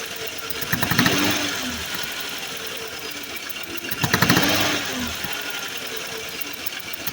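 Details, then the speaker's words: 2014 Chevy Silverado 4.3 V6 with codes P0300 and P219B and a rough idle that smooths under power: sharp ticking and puffing hiss from under the intake, like a loose spark plug, from compression escaping past failed fuel injector seals. "So it sounded like a spark plug almost was loose or something like that. You can hear compression escaping the engine."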